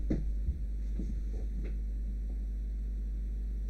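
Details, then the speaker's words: QVIS VIPER-NVR-4BB CCTV network recorder that keeps restarting, heard while initializing; hard drive spins normally at high rpm with soft steady hum, few handling thumps, no clicking or grinding; before the unit beeps and restarts. "hard drive sounds in a regular way so that means just high rpms and that's it i don't know if you can hear it no extraordinary sound out of it"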